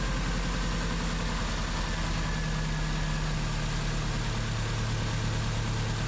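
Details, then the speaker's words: 2001 Subaru Impreza 2.5RS (GC8) after swapping in a used ignition coil to cure P0301/P0302 cylinder 1 and 2 misfires: a steady, even, smooth idle, confirming the ignition coil was the culprit. "that was it so there was the culprit right there ended up getting pretty lucky on that one"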